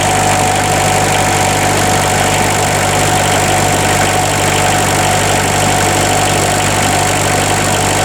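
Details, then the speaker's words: Bobcat 743 diesel after replacing all four glow plugs, started with extra glow plug time, owner suspecting air in the fuel lines: steady, even idle with a smooth low chug and no misses or knocks; running cleanly. "There She Goes she's a runner she is a runner"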